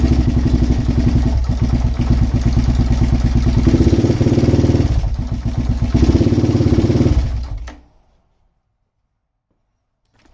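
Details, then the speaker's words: Suzuki LTZ400 quad revival, started with jumped ignition wire and choke: uneven single-cylinder thumping with stumbles and surges, then dies; runs rough, cause unclear. "now that I have access to the ignition it won't be as crazy but yeah it didn't sound good though"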